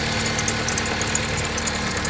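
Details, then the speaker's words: On a 2011 Jeep Compass 2.4L at idle, quick high-pitched chirps repeat from the accessory belt, caused by a wobbling worn idler pulley; the owner reports bad squealing, and the idler and tensioner pulleys are replaced. "today we're replacing the idler pulley and the tensioner pulley on this 2011 Jeep Compass customer states that it's squealing really badly from the belt"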